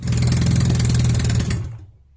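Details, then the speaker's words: Honda Rebel 250 single-cylinder started after a clutch replacement to circulate oil before checking the level: smooth, even low thrum for about 1.5 seconds, then dies away; no knocks or rattles. "all right so let me fire it up let all the oil circulate through the engine will let it sit for a little bit and then we'll check it"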